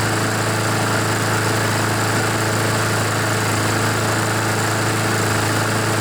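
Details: Honda GCV-engined Poulan mower after oil got into the air filter (it smoked and barely started); small single holds an even, steady speed with no misses, surges or knocking, running normally.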